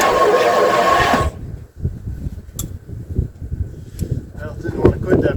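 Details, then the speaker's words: 1958 Edsel engine, first crank since being unstuck last fall, ground cable routed to a starter bolt: slow, laborious turning, three or four heavy beats a second, no firing, slow cranking. "so purely out of curiosity let's find out if the engine still cranks from when i got it unstuck last fall cranks but doesn't want to quit now crank's really slow though"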